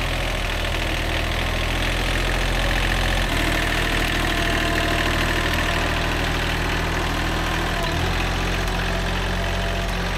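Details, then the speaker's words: Old, worn Kubota B7100 diesel tractor after a gearbox rebuild that replaced chewed-up gears and bearings: a steady beat with a couple of smooth speed changes and no driveline grinding or clunking; the earlier gearbox noise is gone. "that's way better no more noises all the gears work perfectly everything meshes together no more horrible noises in the gearbox so problem solved"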